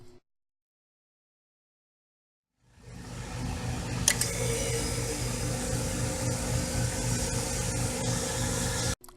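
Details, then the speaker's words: EL-11 / EL countertop freezer after reinstalling compressor relay, capacitor and component cover: silent through the two-minute delay, then compressor starts with a soft thump into a steady low hum with faint rattle; starting and running normally. "with that done we can reconnect our freezer to power and after a two minute delay our compressor should start"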